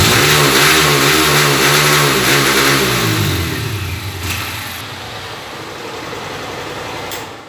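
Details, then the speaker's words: Honda CG Titan 160 single-cylinder motorcycle revved: climbs, stalls at a flat ceiling, drops to idle, no top-end acceleration; misfire and loss of top-end power traced to the TPS throttle sensor. "e aí falando que bonitinho mas essa moto tá só não tem aceleração final"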